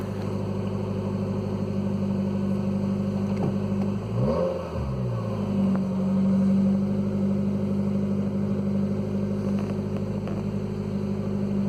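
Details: 2015 Nissan Versa at startup and idle with a brief blip: loud rough exhaust noise from underneath, the pipe rotted away just after the muffler flange connection and needing replacement.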